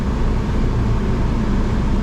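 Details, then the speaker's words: Engine warming up; steady, even low rumble with no stumbles or skips, running a while without a single misfire both in gear and out of gear; smooth normal idle. "Alright, let's let it warm up. Man, this thing's been running a while without a single misfire, even in gear. No misfires."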